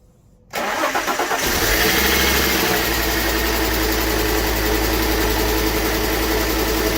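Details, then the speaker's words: Fiat Coupe, normal start and brief idle after restoration, belts tensioned, no radiator or cooling fans fitted so run only seconds: quick crank, catches at once, steady even idle with no knocks or rattles; doesn't sound too bad. "doesn't sound too bad. I only let it run for a few seconds because, as you've seen, there's no radiator or anything on it at the moment, so there's no point running it for any longer than that."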